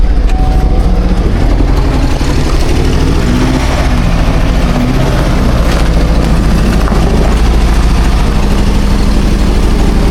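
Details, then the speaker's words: Chevy Equinox brought in running badly from snow: a heavy, uneven, lumpy idle that never steadies, a misfiring cylinder later traced to a cracked valve under the valve cover. "Oh, that don't sound good. You hear what I hear? Sounds like something wrong."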